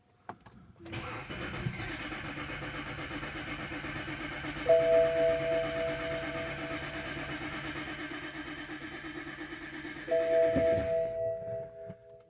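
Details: 2011 BMW X3 with N52 engine, towed in, breather line tapped for intake pulse test: starter spins engine steadily for several seconds with no firing; cause not yet confirmed; crank no start.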